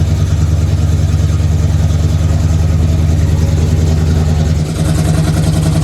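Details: Square-body Chevy truck V8 with FiTech EFI, after a crank-no-start traced to flooding (wet plugs dried out): deep, steady rumble holding an even beat with no misfire, stumble or rattle; runs clean and healthy.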